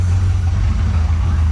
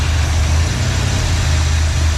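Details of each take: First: 1986 Trans Am 305 V8 with E4ME Quadrajet, after replacing intake gaskets and carb work for vacuum leaks; check engine light on, owner suspects throttle position sensor; warm idle, deep steady rumble, even beat, no misfire, needs adjustment; normal idle. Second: 1986 Trans Am 305 with E4ME Quadrajet: low lumpy uneven idle that sags and dies; brake clean sprayed at carb base gasket; vacuum leak suspected there.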